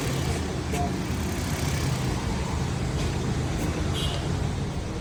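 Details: Suzuki Alto 2012, cold start after tappet adjustment without removing the head: steady, even low rumble with no stumble or skip under light street noise. Jammed tappets had caused the P0301 cylinder-one misfire and hard starting; no codes now, idling smoothly on all cylinders.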